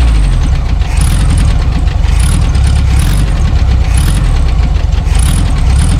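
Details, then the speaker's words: Abandoned 1974 VW Super Beetle after new points, condenser, rotor, cap, plug wires and wiring fixes: steady low chugging idle, even pulses with some tappet clatter; runs and holds speed, oil and generator lights off. "yeah the generator light went off the oil light went off so we have oil pressure we have um our generator is charging"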